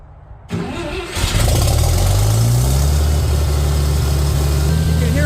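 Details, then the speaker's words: Farmall tractor first start after sitting over a year, choked, in neutral with boost: cranks, catches, low idle with faint uneven stumble; owner suspects moisture in the gas. "sputtering just a little bit probably some moisture in the gas"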